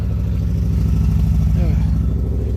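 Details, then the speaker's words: Mazda Protege BP four-cylinder idling with a low chuffing, lumpy beat as one pulse keeps dropping out; one cylinder isn't firing due to a burnt valve from loose rings on that cylinder. "end up burning the valve on someone for because of loose rings on that particular cylinder"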